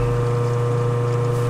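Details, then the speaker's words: Blue Wave Tidal 1 HP two-speed pool pump, new install, on low speed at 1720 rpm drawing about 3.2 amps: steady even low hum, no rattle, grind or squeal; healthy pump. "alright so this is well as being this turning off it sounds like it's just hum"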